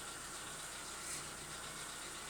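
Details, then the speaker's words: Chevrolet Lacetti petrol engine cold start: fast light metallic ticking of hydraulic lifters, now lasting about 15 seconds (earlier about 5) before stopping; none when warm; owner considering a lifter additive. "Присаживаемся в наш автомобиль и сейчас послушаем, как у нас стучат гидрокомпенсаторы на холодную. Запускаем двигатель и слушаем."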